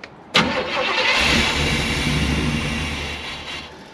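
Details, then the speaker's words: Truck with likely bad fuel pump, fed from a bottle via manual fuel pump: starter catches, engine fires and revs up, then sags and fades within seconds; fuel starvation. "so we figured out the fuel pump is most likely bad it'll run off a bottle so we're going to see if we can just drive it with a uh manual fuel pump"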